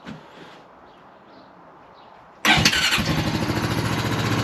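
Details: 2003 Honda Rancher 350ES ATV after replacing the starter solenoid and starter: quiet, then one quick crank and the engine catches at once and settles into a steady, even idle; starting normally.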